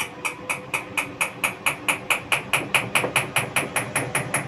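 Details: IFB Executive Plus MSC 10 kg, 1400 rpm washing machine: crisp, regular knocks, about four per second and gradually quickening, from the turning drum; abnormal knocking noise, cause unclear.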